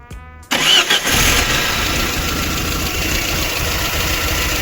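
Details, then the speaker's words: Petrol engine at idle, spark plugs already replaced without help; mechanic suspects a burnt valve, then finds aluminium dust in the oil and checks valve clearances: rough, uneven idle from tight valves and a vacuum leak. Finding: engine misfire at idle. "чуємо як він роїть на оборотах немає Я думаю що тут прогар клапана"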